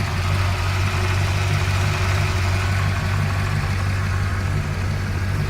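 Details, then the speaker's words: Ford LTD Crown Victoria after swapping to a 1994 Town Car ignition system and ECU: V8 idles low, choppy and hunting. The ECU expects AODE transmission inputs, so it thinks it is in Drive, and one idle table is off. "idols a little a little choppy right now because the 94 ECU is expecting inputs from a aode transmission which is what the 94 town car came with so it thinks it's in Drive right now and one of the one of the idle tables is messed up as you can hear it's hunting a little bit"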